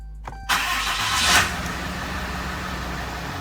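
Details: 2014 RAM 3500 diesel, first start after a fuel filter service, with the system primed by cycling the key: a brief crank, then it fires cleanly and holds an even idle with no stumbling or knocking. Leaks are checked afterwards.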